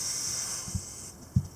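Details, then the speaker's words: Purging the A/C charging line with a can of R-134a before charging, to clear the air out: a sharp hiss of gas for about a second, then a couple of soft clicks as it cuts off, a normal purge. "Okay, no more purging. No more need to purge it. So I've purged the line. That gets all the air out of there."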